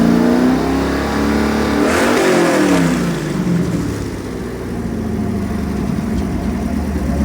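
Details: Chevy 383 stroker marine V8 with all-forged steel internals, Comp Cams marine roller cam, AFR heads and Holley Sniper 2 EFI dialed in, timing set, no leaks, for a Cobalt 226 boat: climbs cleanly through a rev and drops back to an even idle, no knocks or misses; normal revving.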